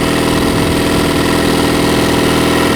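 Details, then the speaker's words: Mercury 9.9 four-stroke outboard that bogged and cut out after a long run: on choke, a busy, fast, steady beat running only on carburetor bowl fuel. The fuel pump isn't delivering, no fuel from the line, traced to a loose fuel pump screw. "There's no fuel coming out of this line. No fuel at all. That's bad."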